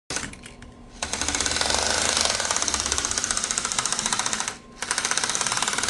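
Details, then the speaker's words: Bachmann GE U36B model locomotive with its motor whirring and a sharp, rapid clicking of about four a second, from cracked gears made of poor material. "it's that dread clicking noise these Bachman engines make due to a uh poor material used to uh put the gears in these motors"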